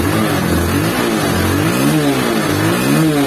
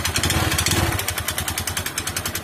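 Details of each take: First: Honda CB150 Verza, about 2020, after running without oil and seizing on the road, now repaired and refilled: clean, even revs rising and falling with no knocks, rattles or misses; engine smooth and normal again, not to be revved hard yet. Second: Honda Verza motorcycle, about 2020, ridden several km without oil until it seized, restarted: small single revving roughly with harsh rattly clatter every firing pulse; dry, oil-starved internals. Oil starvation engine damage.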